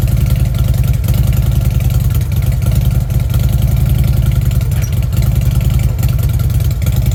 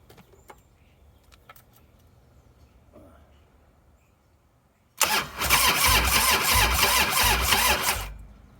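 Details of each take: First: Fuel-injected Harley Ultra: deep even potato-potato V-twin rumble at idle with smooth throttle blips, no misses or clatter; runs healthy. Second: 1998 Harley-Davidson Softail, sitting since 2017, low battery, seven-year-old ignition coil: starter churns the engine about three seconds in quick, even pulses but it never fires; previously spitting and sputtering, coil suspected.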